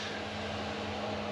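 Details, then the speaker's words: Chinese diesel heater in a small camper van run via a 12V transformer from a power pack, up to temperature on lowest setting, drawing about 18–20 W; steady, even fan whir with low constant hum: normal idle at low setting. "the diesel heater is up to up to temperature it's ticking over it's on its lowest setting granted but then this is only a small van"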